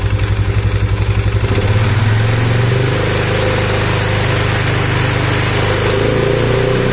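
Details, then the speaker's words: Polaris Sportsman 570 (ACE 570) engine on first start after build, air filter lid off: lumpy start settling to steady idle with loud hollow intake roar; owner unsure if lid-off causes it, earlier suspected tick/knock. Loud intake noise. "Okay so it runs not sure if that's how it's supposed to sound it's smoking a little because oil poured out everywhere it's making an intake sound that I don't normally know if that's if it sounds like that because this lid is off"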